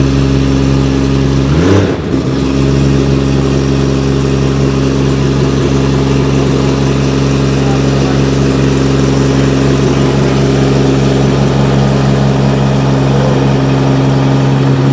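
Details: R32 GT-R race car, 3.4L Nissan RB engine on MoTeC ECU, just after first-ever start, big rear mufflers fitted: steady, even idle with a firm low drone, no misfire or stumble, running cleanly and in time; alternator charging about 14.9 volts; normal idle.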